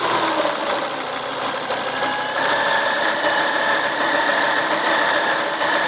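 A steady high-pitched whine sits over the idling engine, holding pitch; it may be the power steering pump, though unconfirmed.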